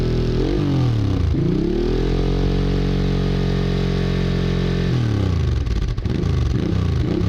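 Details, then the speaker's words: Honda Bros/Hawk GT 650 (late-80s V-twin), warmed up over 10+ minutes, camera held near the exhaust: crisp blips rising and falling smoothly, clean steady note between, no rattle or popping; healthy revving. No coolant leak found. "I'm gonna hold the cap near the exhaust it's always a tricky thing is that when you try to record the exhaust sound yourself let's have a go"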